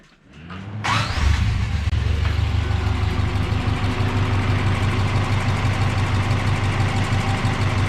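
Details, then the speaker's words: Subaru BRAT after an engine swap and carburetor change starts quickly and settles into a steady, even idle with a smooth low rumble. No smoke, rattle, tapping or rod knock; the previous setup had been knocking. Normal idle. "sounds pretty good doesn't smoke Andrew doesn't rattle no noisy tap it snow or no rods knocking no nods are rocking nothing like th"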